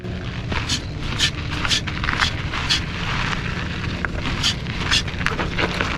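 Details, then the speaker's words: DVO Onyx SC D1 170mm fork on a 2019 Pivot Firebird 29, when new: light metallic pinging about twice a second over trail noise, a springy creak; DVO advised riding it or regreasing the OTT, and the noise eventually went away. "When I first got the fork, I noticed immediately that there was a spring-like noise."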